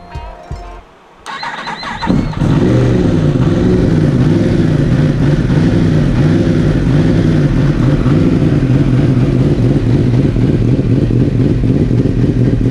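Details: 2017 Yamaha R1, first start after fitting a carbon fiber ram air intake: it cranks, catches and settles into a fast, even idle with no misfire or knock, with music in the background.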